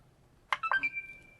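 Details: Xbox One S with power issues: a couple of short clicks, then one steady high beep that fades, with no fan or startup sound following; power-on beep but no boot.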